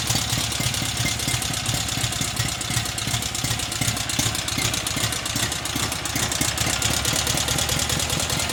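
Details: Cub Cadet 1811 with an M18 twin-cylinder engine whose block is badly cracked and was crudely patched with silicone; it starts and runs with a busy, uneven clatter and knocking over the idle. The rough running's cause is unclear.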